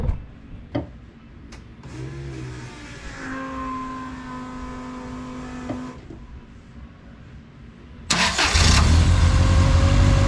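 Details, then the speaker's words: Toyota Altezza 3S-GE Beams engine with Haltech Elite 550, ITBs, first startup on basic tune, heard from front: short crank, sharp bark, loud steady idle with throaty intake, running a little rich; normal start and idle. "it sounds great it's running a little rich just got to put a tune in it"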